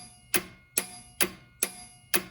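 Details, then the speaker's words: Homebrew AM transmitter (pair of 810 modulators, single 4-400 Class C) with 12 volts connected to its power supply: five crisp transmit/receive relay clicks about two a second over a faint steady high whine, relays switching normally. "Now the big TR switch relays in there click too."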